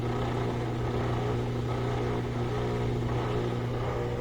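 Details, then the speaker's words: Whirlpool direct drive washer after a won't-drain repair: steady low pump hum with a light airy whir as the drain pump spins dry after draining, its pitch changing as it hits air; sounds normal. "Now we hear the dry sump spinning, but it's just hitting air, so the frequency changes, different sound. Sounds good."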